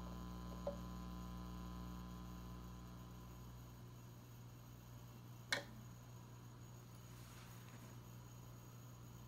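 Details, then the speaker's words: Ampeg Portaflex B-15-N bass amp after major repair, volume cranked, nothing connected, microphone against the speaker, hum balance control set to center: only faint steady low hum with small clicks; quiet and healthy. "I will turn it all the way to one side so we could hear it right there hum as I turn it towards the middle totally gone if I keep going you'd hear it again so now I'm just gonna with two hands get it right back to perfect"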